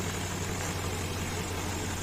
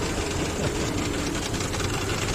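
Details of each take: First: Infiniti QX56, warmed up, after replacing the accessory belt tensioner: smooth steady idle with no metallic knock; light rustle from gas (LPG) injectors. Worn tensioner caused metallic knock under A/C belt load and intermittent cooling. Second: Infiniti QX56 at idle: loose, uneven knocking three or four per second from the front of the engine, persisted after the power steering pump was replaced with a used unit; the belt tensioner is rattling.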